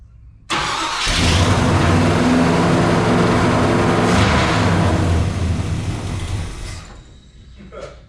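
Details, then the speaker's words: 1956 Chevy Bel Air carbureted V8 with flooding problems, fired up; catches and settles into a fast, steady drone around 1,500 rpm, then shuts off; idle far too high. "Last night, but now all of a sudden he's got it idling at 1,500 RPMs. Ah, that's way too much."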